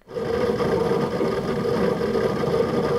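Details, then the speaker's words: Synology DS918+ NAS with four mechanical hard drives under load: constant low hum with a rattly buzzing vibration over the drive whir, from chassis vibration; fixed with stick-on Velcro tape. "it is gonna be loud under load with four mechanical hard drives running away but I definitely want to fix that annoying buzzing vibration sound and today I'm gonna show you how"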